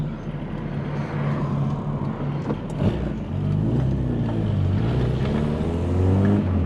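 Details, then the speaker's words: VW Polo Coupe engine, freshly reassembled, on its first test drive, pulling under acceleration. A steady note climbs evenly through the revs with no knocks, misses or rattles; it runs healthy. "all oh that's what I'm talking about I missed that sound well and truly missed that [Music] sound"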